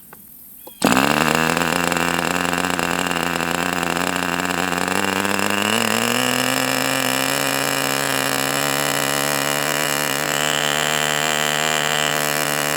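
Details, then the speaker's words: Enya 40 TV Model 6002 glow model engine on heat-cycle break-in runs, needle richened one click: it holds full throttle with a steady high scream and a burbling rough edge, pitch periodically shifting toward two-stroking; rich four-stroking. "full throttle and keeping it at that burbling four stroke period. And you could kind of hear it want to go to two-stroke mode where it kind of go you you could hear the pitch change periodically."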